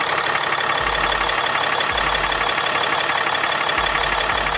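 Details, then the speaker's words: Diesel truck at idle after installing a WC Fab upper coolant line, checked with no leaks: a steady, even diesel clatter with no misses or odd knocks, so the engine is running healthy. "the sound never gets old man i'll tell you"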